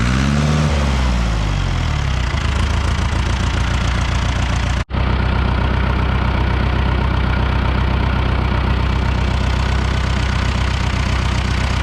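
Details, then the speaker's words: 1975 John Deere 450B dozer four-cylinder diesel after injector repair: steady even low chug idling on all four cylinders, smooth; smokes when revved, cylinder one still runs cooler. "it worked it runs on all four cylinders now Idaho's pretty smooth sounds good at RPM"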